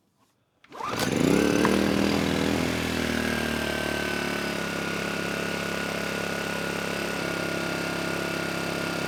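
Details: Kipor KGE 1000Ti inverter generator after refitting the airbox, which richened the mixture: it catches quickly and settles into a steady, even hum with no hunting, both with eco throttle on and off. Normal smooth running after the fix.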